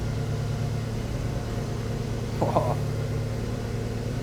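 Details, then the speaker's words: Daihatsu Copen on stands, open diff, wheels spun by engine while checking for bad wheel bearings: even low drone with no growl or grind from this side; no noise here, this bearing is normal, the opposite side is bad. "Nothing over there. Yeah. No, it's not making a noise at all."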